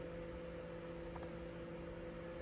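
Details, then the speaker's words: C6 Corvette LS2 factory cooling fans on Haltech Rebel LS PWM control, commanded to 85% output (up from 50%): steady, even whirring hum with air rush, no flutter, rattle or grinding; PWM fan control works. "changes 85. Yeah, baby. It's windy in here. So there you go. Pulse width fan control, courtesy of our kangaroo cousins at Haltech. It works."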